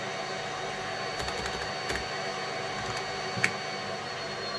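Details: Boosted exhaust fan on a Snapmaker Artisan enclosure, upgraded from the standard fan for 40W laser fumes, running at full speed from the OctoPrint terminal: a steady loud airy rush with a faint even hum and no rattle or scrape. Normal.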